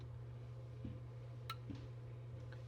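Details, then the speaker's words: KitchenAid fridge (not cooling, freezer fine), air damper/flapper WPW10594329: steady low hum with a couple of soft clicks as it opens and closes, no cracking noise. Normal damper operation. "See, it's not even making noise when it opens and closes."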